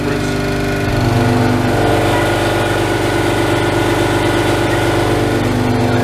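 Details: Ingersoll Rand 5 hp single-stage twin-cylinder 60-gal compressor, started with tank at about 50 psi and feeding an ambient air cooler and moisture separator: loud steady pumping hum with even pulses, no knocks or rattles. Normal running.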